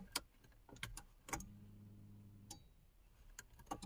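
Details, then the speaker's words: 1994 VW Golf 3 Variant just after fuel pump replacement, heard from the driver's seat at key-on priming. A brief low electric hum from the tank with clicks, repeated to build pressure; the pump runs normally. "I'm gonna let it prime for a bit. I'm doing this a few times to make sure that it builds up pressure."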